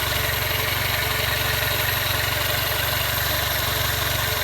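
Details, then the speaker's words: 1999 Toyota Corolla 1.8 at idle: regular light knock about four per second from the front accessories, fading with revs and while the steering wheel is turned; caused by a wobbling power steering pulley. "What I've noticed is when the wheel is turned, it stops. So the engine sounds like it's smooth as long as I'm running the wheel back and forth. But then when I stop, or get it back in the center or whatnot, it'd start to do it again."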